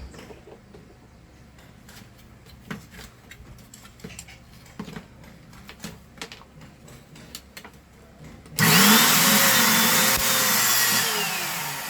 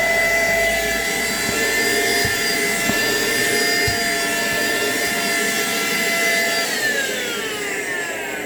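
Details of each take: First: Philco handheld vacuum cleaner, power cord previously repaired: after handling clicks, the motor runs loud, harsh and hissing, brushes sparking heavily; brushes suspected, but the upper motor bearing was found failed. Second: Philco portable vertical cyclone vacuum cleaner, test run after repair of a strange noise: a steady high motor whine over an even rush of air, no grinding or rattle, then a smooth wind-down. The motor runs normally.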